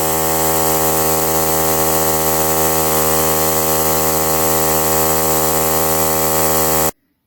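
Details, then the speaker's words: Holiday Rambler RV air suspension compressor: steady even drone with strong constant hum, fills system then cuts off cleanly; normal running. "so that's good all filled up she turned off"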